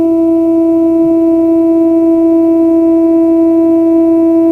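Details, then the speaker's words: Fender Blues Deville tube guitar amp built 1993–96, after fitting new power tubes that sounded slightly better but did not fix it; steady test tone comes out buzzy instead of smooth sine; distorted output, cause not found. "These new power tubes sound a bit better than the old ones, but they did not solve our problem."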